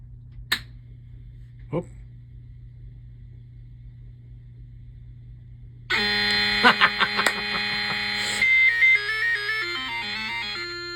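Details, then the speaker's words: Early Bally solid-state pinball sound board that was still ticking with no sound; after swapping in a replacement chip, faint clicks then a loud, slightly rough burst of chiming, stepping test tones: sound board now working. "love it wow okay that sounded kind of ugly but it's going to wow it's going to test"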